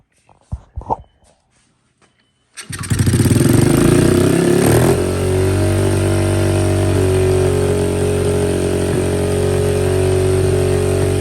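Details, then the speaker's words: 2003 Honda XR50 single after a whole new carburetor system, on fuel reserve: catches after a few kicks, surges to a fast revving idle and hangs high; aftermarket throttle cable lacks enough adjustment and holds it open. "So we're having a few problems. This cable is not working. There's not enough adjustment in this cable. It's a junky Chinese cable."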